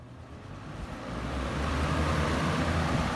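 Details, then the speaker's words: 1981-82 Galaxy Model 3713 20-inch box fan on high: a smooth airy rush over a low steady motor hum with a faint motor whine; normal running. "as you can hear the motor on this one's uh one of the quiet ones with the minimal motor and you can faintly hear the motor whine"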